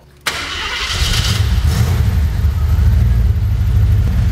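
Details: Cold start of a 1983 Jeep Wagoneer with twice-rebuilt engine and Edelbrock fuel injection: short crank, catches right away, settles into a smooth, even, deep idle with no ticking or knocking; tablet shows 42 psi fuel pressure at 750 rpm.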